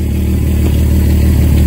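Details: Car engine idling smoothly after a vacuum leak from a small hole at the back of the intake was taped: steady, even low idle with no lope, hiss or misfire.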